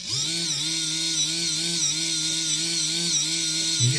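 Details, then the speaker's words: InMoov robot shoulder, modified servo driving a freshly greased worm gear that feels too tight: wavering motor whine that sags and recovers about twice a second. The servo is straining under load, possibly from binding. "is hosting a bit as they're struggling a little bit I think"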